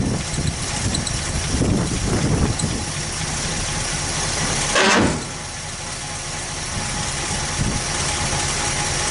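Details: 1964 Buick Skylark, sat neglected about six months, with an electric fuel pump: a few pumps and it fires, catching with a brief surge, then settles into a steady idle to warm up, starting normally after storage.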